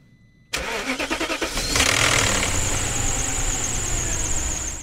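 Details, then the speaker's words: BMW M62B46 V8 cold start: about a second of fast, regular clattering that fades as idle settles, timing chain rattling until oil pressure tensions it; owner traces it to a faulty oil filter housing letting oil drain back. "Si votre V8 fait ces bruits de cliquetis lorsque vous le démarrez,"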